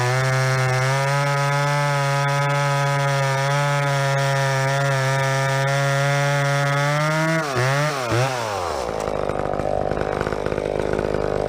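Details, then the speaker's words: Stock ProMac 10-10 chainsaw with 28-inch bar, tuned, in a heavy cut through big fir: steady high revs holding an even note, dropping off cleanly on exit; normal cutting under load. "So that was stock. That's a stock saw. It's ripping, you know."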